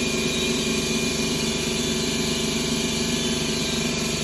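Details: 2011 Ford Escape 2.5L with P0300 misfire codes on cylinders 1 and 2, idling: irregular loping thud with a missing beat each cycle, caused by a damaged cylinder 2 valve losing compression, found after engine removal.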